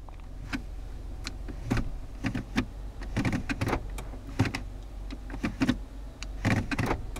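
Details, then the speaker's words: 2014 Nissan Altima automatic shifter after cleaning soda residue from the console plastic piece: soft clicks and thumps through the gear positions, smooth, with the earlier intermittent ratcheting click gone. "I cleaned everything out real good and as you might expect everything works real good very smooth"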